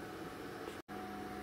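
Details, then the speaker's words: 2010 Ford F-150 towed in for stalling and crank-no-start (codes P025A, P0690, U0109; fuse 27 overheating suspected), under a quarter tank: in-tank fuel pump hums steadily and smoothly, about 9.3 amps on current ramp; normal fuel pump operation. "so as you can hear the fuel pump is running in the tank and sounds nice and smooth but we're going to current ramp it with a lab scope and have a look at it"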